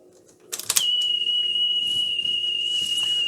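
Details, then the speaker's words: Philips 22GR814 cassette deck after cleaning, playing a test tape: steady tone near 2.88 kHz instead of 3.15 kHz; the tape runs too slow. "okay um that's 2.88 khz that's way too slow it should be 3. 15"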